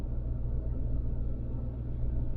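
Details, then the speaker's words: Church van after patching the exhaust, now exiting lower down: low, steady idle rumble with even beat, no popping or ticking; running smoothly, sounds good after repair. "the engine's running right now you probably hear it a little bit [Music] yeah it's running and it actually does sound pretty good"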